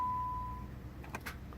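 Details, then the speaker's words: Dodge Avenger 3.6 with 62TE transmission, no start/no crank complaint, key turned to start with good battery power: a chime, then one sharp starter click and no cranking at all. The engine has seized from being driven without oil. "uh oh [Music] just a click now here to start it clicking"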